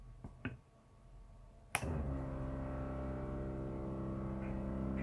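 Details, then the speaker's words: Jayco trailer fresh drinking water pump after noise fix, recorded at the sink: click as pump switches on, then low, steady, even hum without knocking or rattle, mid-50s dB versus mid-20s ambient; normal quiet pump run. "the Ambient sound level is in the mid 20s sound of my voice goes up into the 60 range here's the sound of the pump that puts it up into the middle 50s"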